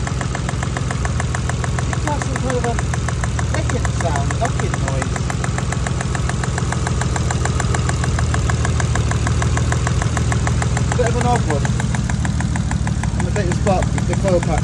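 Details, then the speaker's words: Nissan R33 Skyline, cold after sitting two freezing days, just after spark plug work: rough, lumpy idle with quick, uneven clicking. Misfire traced to a coil pack not properly seated after the whole bracket was removed. "coil pack back off to check, see how far it's come on properly. Might just because it's cold, but I don't think so. Doesn't sound right."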